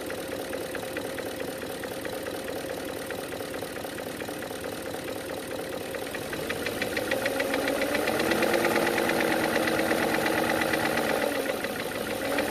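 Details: BMW E39 M62/M62TU V8, 225k miles, idling after cam sensor failure, replacement with OEM sensors and much cranking; chain guides and VANOS seals done ~8k miles ago: steady light knock about four per second; owner unsure whether lifter knock or piston slap.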